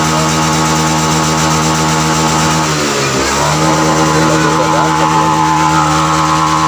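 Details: Honda Vario FI scooter that sputtered at high rpm, after the TPS sensor was reinstalled and repositioned slightly upward: a steady buzz dips briefly, then climbs back cleanly with no stutter or misfire at the top.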